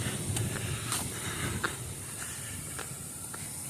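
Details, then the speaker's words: Thin, continuous high-pitched hiss amid footsteps and debris clatter in a mobile home park wrecked by an EF-2 tornado in SW Michigan. The person filming says it is gas; not confirmed. "gas I don't know if you can hear that hissing that's gas"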